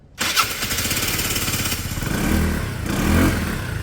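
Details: Peugeot Satelis scooter, 31,000 km, barn find sat two years, after immobiliser fix; starter catches quickly, fires into an even single-cylinder putter that settles smoothly; clean healthy start.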